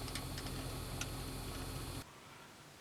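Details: 2007/2008 Toyota Sienna, intermittent sharp clicks under the dash, mostly driver's side, near the vents over a steady engine hum; owner suspects the HVAC blend door actuator, which was then removed.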